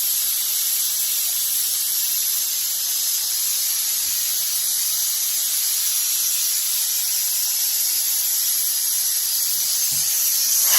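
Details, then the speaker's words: Air tank at about 65 psi being dumped through a regulator/drain: a steady, even hiss of compressed air carrying moisture but no liquid water. The tank is vented down normally. "too you can feel you can see the moisture coming out of it so there is water in it or moisture"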